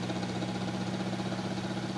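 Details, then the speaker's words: Vornado 12P1 fan with its head tilted up in the normal position: a steady hum with a slow, regular rattle; tilting the head down speeds it up and the rattle mostly stops. "it's tilted up it has like a slow rattling sound and as I tilt it down the speed picks up"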